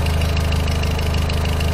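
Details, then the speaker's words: VW Voyage G5 1.6 at idle after replacing the NTK lambda sensor: quick, even light ticking over a steady idle, hydraulic lifter (tappet) noise; the earlier shaking is gone and acceleration improved. "esse barulho aí é de barulho dos tuchos mesmo tal mas o carro ele não tá aquela tremida tá tudo em forma agora"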